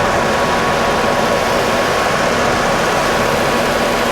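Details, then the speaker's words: VW Eurovan Winnebago camper, about 56,000 miles, hood open: steady, even hum with no misses, knocks or ticks over several seconds, judged to idle smoothly, normal idle. "a whole lot to report here everything looks the way it's supposed to sound good idling smooth all good stuff"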